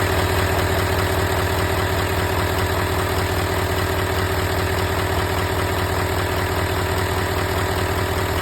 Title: L5P Duramax Ticking Noise